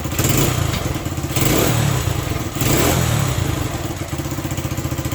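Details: Honda SL100 single in a 1975 SL125/XL125 frame, worn out, cold, during carburetor screw adjustment: lumpy idle surging twice and sagging; carburetor fault, no clean pickup, revs only with choke almost fully on.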